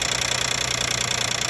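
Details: 2012 Nissan Maxima 3.5 L engine at steady idle, listened to with engine cover still on: fast, even metallic buzzing tick; later attributed to a loose intake bracket.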